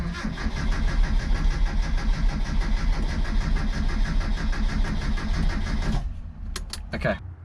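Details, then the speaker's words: 1977 Sigma Lancer, first start attempt after front-end reassembly: steady cranking around three beats a second for six seconds without catching; hard start, owner later found a loose earth inside the distributor and a broken wire, suspected cause. "okay while the camera was off had to fix up a on on my distributor there was a bit of a loose earth or lose grant inside it"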